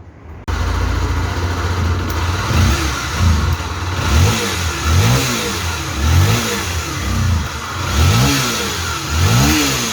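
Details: Honda XRE 300 / CB 300 engine idling with throttle blips: a hum rising and falling over the single's beat, a known chronic fault of a damaged crankshaft bearing on the left side holding the starter clutch and magneto flywheel; not the cylinder head.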